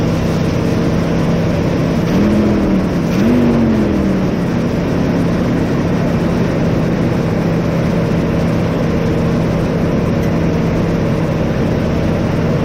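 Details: 1988 Chevrolet S10 Sport, sat since 1994, after new fuel pump, tank, sending unit, hoses, rebuilt throttle body, cap, rotor, plugs and wires: catches, brief rev blip, settles to steady even run. Normal running.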